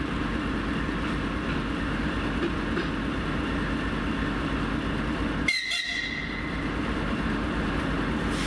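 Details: TEP70-0356 diesel passenger locomotive after a medium overhaul at Voronezh TRZ in November 2022, hauling a passenger train: a steady heavy diesel rumble with a thin, even high whistle above it. Normal turbocharger whistle.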